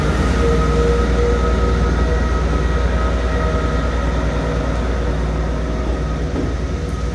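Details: Class 158 unit 158720 pulling away from Dingwall; loud deep steady drone with tonal howl under acceleration; cause unclear.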